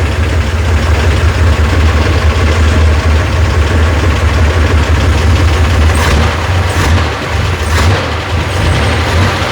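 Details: Rebuilt FC engine first start after setting ignition timing: strong, even deep rumble holding a steady idle, smooth and free of knocks or misses; healthy running.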